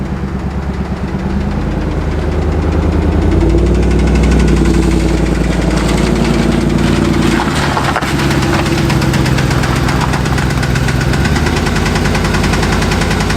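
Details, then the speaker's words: Engine idling with fast, somewhat uneven ticking about three taps a second, apparently from the valve cover area; owner suspects hydraulic lifters need replacing; valvetrain tick at idle, not confirmed. "Alright, so by sounds like it's coming from right about here, I'm going to assume. I'm going to see about taking this valve cover off and see what we're getting into."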